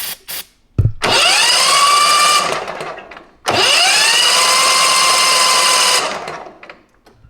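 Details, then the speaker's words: John Deere Z655 zero-turn mower, 27 hp engine, 411 hours, exhaust pushrod found loose and refitted; two bursts of smooth, rising starter whine spinning freely with no compression, owner suspects a thrown rod. "like there's still about no compression so I'm thinking we may be throwing Rod"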